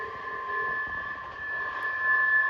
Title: Loud screeching sound on CSX intermodal train #railfanning #csx #shorts 11/2/25